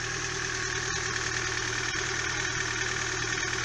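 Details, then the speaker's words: Daewoo Lanos after the injectors were cleaned and reinstalled and the spark plugs checked for spark: even, steady idle with a smooth hum and no ticks, knocks or misfires. The injector-or-plug fault appears fixed. "Попробуем, что завелась, как слышите. Все работает, свечи работают, никакого у нас лишнего постороннего звука нету."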